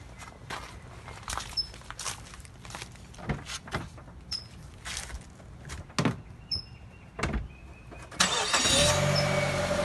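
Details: 2004 Mazda 3 2.3 L automatic, 215,000 miles: sharp irregular cracking clunks only when shifting D to R or R to D and applying a little throttle; both lower control arms and CV axles recently replaced.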